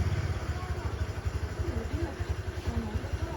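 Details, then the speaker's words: 2017 Kawasaki Versys X300 with a hand starter that clicks but won't start: pressing the starter switch joint where the pin passes through made it start, then it settles into a steady low throbbing run; owner suspects a poor switch contact. "I pressed it down. As I pressed that, it started. I think the weak point is this. I think it's this joint here, where the pin goes through. That's the problem."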